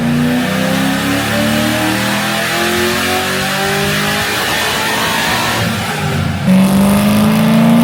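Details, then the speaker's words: 2006 Corvette Z06 V8 full-load dyno pull after suspected knock, confirmed not rod knock and retuned (about low 500s power): pitch climbs smoothly, no misses or knocks; engine healthy. "They diagnosed it and everything. They actually threw the car on the dyno."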